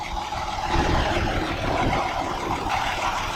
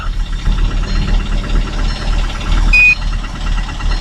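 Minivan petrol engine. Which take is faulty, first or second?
second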